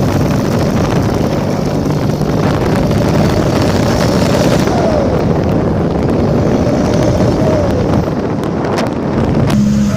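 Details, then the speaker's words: Seat Toledo 1.9 TDI with a rotted-through exhaust pipe: loud raspy diesel rumble swelling with each rev and popping when throttle is released, an exhaust leak. "žodžiu spaudi gazą ir kai atleidi toks poovą kaip suveikimas [Muzika] gaunasi nežinau ar girdisi bet tikiuosi"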